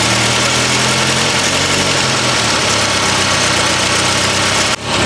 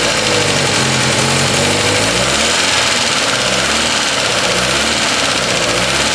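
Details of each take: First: Petrol engine at idle with a harsh, raspy hiss and puffing from an exhaust leak, otherwise running steadily; it used to sputter on touching the gas but now clears out well. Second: Classic car engine, which used to sputter on light throttle, now blips up and settles back cleanly with no sputter. A raspy hiss comes from an exhaust leak. Clean throttle response.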